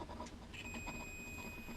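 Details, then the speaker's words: Multimeter continuity test with the probes touched together, while tracing a yellow-wire fault in a Sharp CB4470 hideaway CB radio: a clean, steady high beep holds unbroken, showing a solid connection. "Now if you touch my two probes together, and you can hear the continuity."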